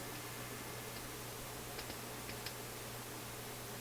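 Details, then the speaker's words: Philips console stereo tube receiver, first power-up at reduced power via band/on-off switch, no tubes wiggled yet, volume up: steady hiss over a low constant buzz with faint ticks, no program audio; output buzz, cause unknown. "Aha, I think that's volume. So I'm just hearing a buzz."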